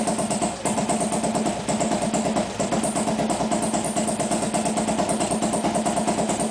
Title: Hard Start Harley.wmv